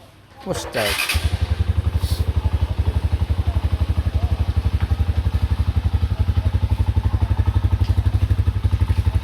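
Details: Honda TMX Alpha 125 motorcycle after starter wiring and relay troubleshooting and starter motor refit, previously hard starting on electric start: catches after brief crank, settles to steady single-cylinder idle with even firing; starts and runs healthy.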